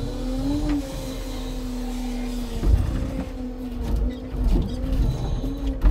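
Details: Timber truck loading birch logs with a new smooth, fast Loglift/Jonsered-type crane: steady high squeal over the hydraulic hum, rising briefly as the crane moves; source unknown.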